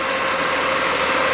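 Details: 1997 Spartan/Ferrara fire engine diesel brought back down to idle after drafting pump operation: settles to a steady, even idle with smooth hiss, no knock or misfire; engine healthy.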